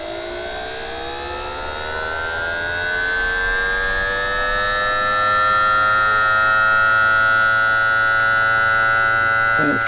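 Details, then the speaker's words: Miniature 2-coil Thomas motor, 18 ohms DC, 6-magnet rotor, 5 thousandths core clearance, sped from 5 V to 15 V drawing about 141-144 mA: smooth clean whine climbing in pitch, no rubbing or knocking; healthy. "well I'm going to speed this one up now and you can listen to this one run we're going to go up to 15 volts"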